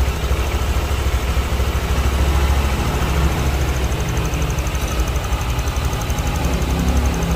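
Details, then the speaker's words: Honda Vario scooter after replacing the cam chain tensioner: low, steady idle with an even beat and no top-end rattle; smooth, normal idle. "dan ini kita coba dan teman-teman bisa dengarkan untuk ee suaranya ya setelah diganti untuk pensionernya lebih"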